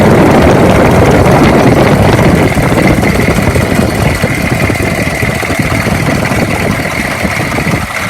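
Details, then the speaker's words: 2002 Chevy 3500 utility truck, 6.5 L diesel, 89,150 miles: uneven, coarse clatter with a rough, unsteady beat; engine loud and something sounds rough in the front, cause not determined. "I'm gonna go park it now, but again, sounds like something rough in the front."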